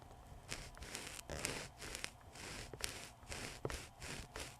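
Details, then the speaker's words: Toshiba MV13J3 1999 13-inch TV/VCR combo speaker (8 ohm), mic clipped to speaker frame, cone pushed in and out by hand: gritty sandy scraping bursts; voice coil rubbing, speaker needs replacing. "you hear that you have to hear it because I see it on the level display it's like it's full of sand that's why it sounds so crappy"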